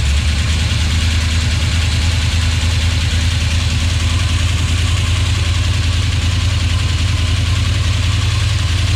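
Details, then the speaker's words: 1970 Duster with Mopar 360, rebuilt to fix a bad oil leak, idling in about 20-degree cold: deep, steady V8 rumble, even beat, no tapping or knocking; running well. Owner notes something unidentified, hopefully grease inside the balancer or missing felt behind it. "but uh so far so good and just running damn good it's freaking cold"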